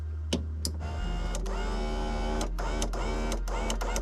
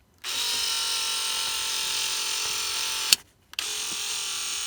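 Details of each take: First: 1989 Toyota van, replacement power window motor (regulator) from an earlier-model van, bench-tested plugged in: smooth, even electric whir with clean on/off clicks, steady pitch; normal operation. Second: 1989 Toyota Van's original driver's side power window motor: a high buzzy whine for about three seconds on each of two strokes. The worn motor is noisy and struggling, especially when closing, and was replaced.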